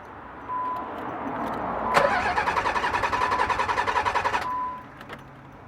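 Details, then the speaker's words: Nissan 300ZX, new fuel filter, fuel pump relay and PTU fitted without success: starter churns in even pulses three to four a second for over two seconds, never fires; crank no start, fixed by replacing the failing fuel pump. "so we're actually having problems with the z it doesn't want to turn on but let me just show you what's what's going on"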